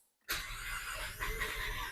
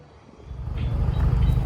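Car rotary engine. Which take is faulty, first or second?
first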